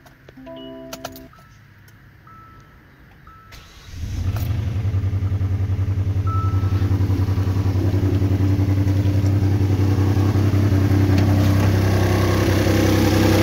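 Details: 2014 Hyundai Santa Fe after engine repair for damaged crank bearings (crank pulled), first start with radiator not yet fitted and new water pump: quiet, then starter catches and engine settles into even, steady idle with no knock or tick; healthy running.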